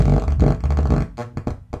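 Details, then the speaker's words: Miller & Kreisel MX-125 subwoofer with audio input, before the pots were cleaned. Bass comes out buzzy and torn, breaking up on every low note, with a background hum that stops at power-off. Badly distorted output. "oh that sounds terrible"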